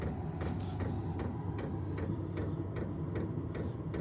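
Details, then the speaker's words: New Vevor 12V 8k diesel heater in a 600 sq ft shop at startup, still blowing cold air: steady sharp clicks about every 0.4 s over a low fan hum as the pump cycles fuel into the heater. Normal fuel pump ticking. "all right don't know if you can hear that that's the pump cycling in it's going to dump fuel into the the heater portion of the"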